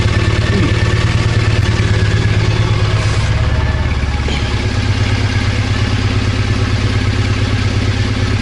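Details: Early fuel-injected Triumph Bonneville twin that stood 10 years, running after a faulty O2 sensor was replaced and the fault cleared; steady, even low thump at idle with no misses, surges or clatter. Normal idle.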